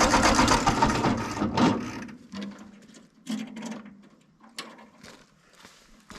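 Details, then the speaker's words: Ford 8N tractor cranks with uneven starter churning and scattered chugs but won't restart once shut off. The carburetor leaks fuel. The owner suspects spark or coil voltage is lost while cranking. "soon as as you shut it off and go to restart it then it won't start"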